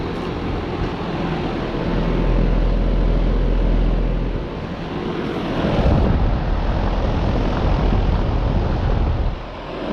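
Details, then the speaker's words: 2013 Trane XB13 air conditioner condenser, spring startup at 78°F, uncleaned coil: steady low hum with even fan rush, no knocks, rattles or squeals; runs healthy and level, fan a little loud. "very nice and quiet. Very well installed."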